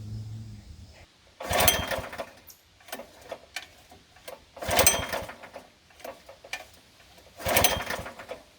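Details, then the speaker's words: Rented gasoline core aerator, first unit: three recoil pulls a few seconds apart, each whirring briefly without catching; no-start, never tested at the store, fuel smelled off; cause unconfirmed, machine swapped. "Alright, so we're back. Round 2. First machine wouldn't start. I had to load it up, drive it back."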